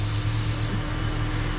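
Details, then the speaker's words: Dodge Durango converted from R1234YF to R134a, cabin with fan running, A/C blowing cold only intermittently: steady airy hiss like a pinhole high-pressure leak; understood to signal a low refrigerant charge, though owner thought it possibly slightly overfilled. "sounds like a high pressure leak in a hose like a pinhole leak but obviously there's not a leak in there that is basically from what i understand on these things that is to let you know that the system is low"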